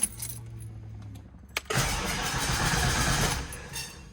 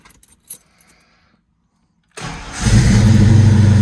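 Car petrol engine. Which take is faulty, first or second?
first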